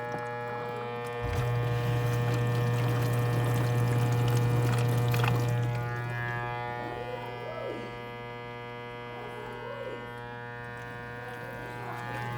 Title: Kdte104ess1 kitchenaid buzzing sound